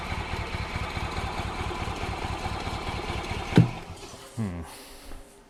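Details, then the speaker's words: 2005 Club Car Precedent gas cart, previously ran only on full choke then quit; after cleaning tank and adding fresh gas, fast low chugging for about 3.5 seconds, then a pop and it cuts out. Hard starting; fuel pump diaphragm degraded by old fuel suspected. "the fuel probably degraded the diaphragm so much that we can't get any we can't get enough the suction pressure"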